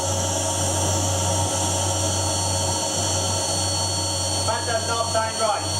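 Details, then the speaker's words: Household vacuum cleaner just switched on: steady loud motor drone with a hum and hiss, no suction at the nozzle at all, cause unknown; abnormal running sound with no suction. "I have absolutely no idea what just happened there but the moment I turn out on dad did not seem right and there was absolutely no suction coming through here at all"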